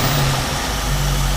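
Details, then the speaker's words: 1968 Ford Mustang 289 V8 after carburetor rebuild, warmed up with choke wide open: steady low idle with a slightly uneven, lumpy beat, not unstable but rougher than it should be; rough idle, possible misfire unconfirmed. "What it is doing, it seems to be, I don't know if it's misfiring or if it's just 1968 engine idling away. Seems to have a little bit of a rough idle. Not unstable, but it's definitely rougher than I think it should be."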